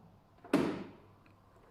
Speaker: remember about this one you have to pull down this one to switch to manual look i will do it just now slowly you pull down and listen the noise the click